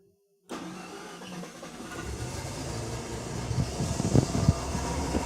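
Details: Mazda RX-7 rotary after repairing leaking injectors: short crank, then catches and settles into a throbbing, slightly lumpy idle that steadies as it warms; battery voltage about 12.5 V.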